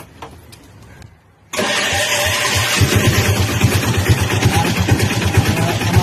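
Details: Piaggio Ape autorickshaw after replacing a burnt-out self starter motor and a broken off cable: starter engages, engine catches at once and settles into a steady, even putter with no grinding or hesitation; normal start.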